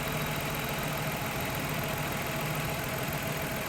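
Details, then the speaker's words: 2000 Toyota Avalon 3.0 VVT V6 with a mystery misfire: rough, uneven idle under a steady drone, engine shaking hard from a cylinder misfire. "this engine is shaking like crazy"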